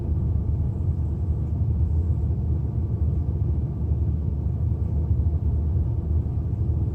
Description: My 2005 E87 N52 130i Msport misfire at idle. No codes. Poor Mpg.